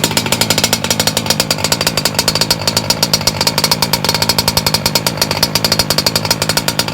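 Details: MTXL with a BR motor recase on its second break-in heat run, low speed leaned slightly, in rainy, drizzly weather; a fast, even high-pitched buzz with no stumbling, running steadily and slightly rich.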